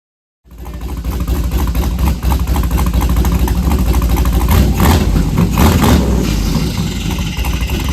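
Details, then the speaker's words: Engine cranks and runs fine with no knocking, but an uneven gritty scraping rasp rides over the rumble; origin unknown. "It cranks up fine. I don't hear any knocking, but I'm hearing like a scraping sound or something."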